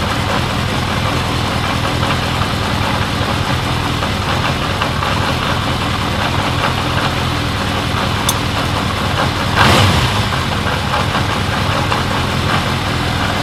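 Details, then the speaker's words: 1979 Honda CB750 K four-cylinder after carb cleaning, rebuild, bench sync, then vacuum-gauge carb sync and idle knob adjustment: steady idle with faint lilt, no misses or hunting; sync had been out, now smoother with slight cadence; normal idle. "that sounds pretty good all right so we synced it and it was out"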